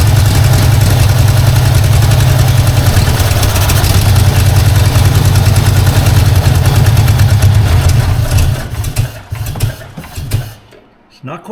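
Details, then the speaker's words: 1952 Ford Crestline after years sitting, running on hand-fed fuel: loud, uneven low chug of three to four pulses a second, lumpy then fading; owner suspects another vacuum leak, possibly the wiper line. "running on all though definitely something going on there just going to try to idle it up here a bit unless I have another vacuum leak I don't know about"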